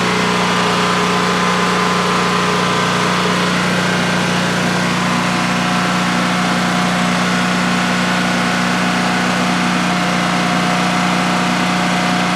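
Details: DuroMax XP15000HX generator installed in a shed, on its second start, running on propane without the exhaust fan: a smooth, even drone at constant pitch with no misses or knocks during a 5-minute test run. Normal idle, running well.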